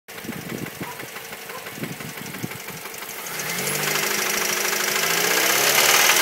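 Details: 2006 Mazda 3 SP23 at 105,000 km, fully serviced, deep hammering knock about three to four per second at idle rising with revs plus ticking; began around 80,000 km, worsening; owner suspects No.1 cylinder big end bearing.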